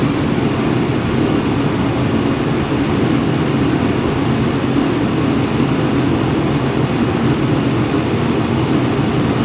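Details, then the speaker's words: Mr. Heater Contractor Series forced-air heater on its low setting, lit after a 20-second purge with the fan blowing cool air: steady, even low roar from burner and fan, not loud, no surging or sputtering. Running normally on low, blowing decent heat. "Blowing some decent heat right now. It's on low. It's not that loud."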